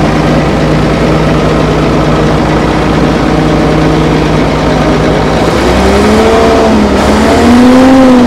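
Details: Old Fiat-Allis bulldozer, roughly D6/D7 size, six-cylinder diesel, probably not turbocharged, sat in the bush for years; after a full-throttle start, a steady even chug about four beats a second, lifting cleanly as revs rise; normal running.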